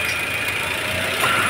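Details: 2008 Toyota Avanza AC after Freon recharge, condenser setup and larger fan blade: smooth steady airflow hiss with a faint even whirr, no clatter or squeal; pressure reading 175, 28–30 and dropping; running normally.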